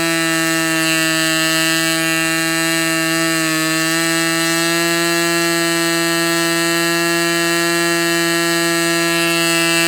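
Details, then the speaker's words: Fox Twin glow engine at full throttle, glow igniter left on throughout: steady high buzz, brief dip near four seconds, running cleanly. "This cylinder seemed to be running fine. I maybe I probably should have been taking some uh tack readings with it, but it wasn't."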